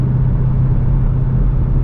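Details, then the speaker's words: Corvette with newly rebuilt LS3 V8 on first drive, base tune, sounds more aggressive than expected; deep even rumble with firm steady burble, no misses or knocks, healthy V8 exhaust note. "looks amazing looks like a super car it sounds pretty aggressive honestly i thought it would be a little bit more tame"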